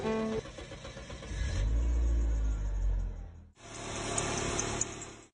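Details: 1997 Saturn SW2 that would not crank or even click, after its starter was replaced. The engine catches promptly and revs up, then settles and runs steadily; the starter engages cleanly with no clicking or grinding.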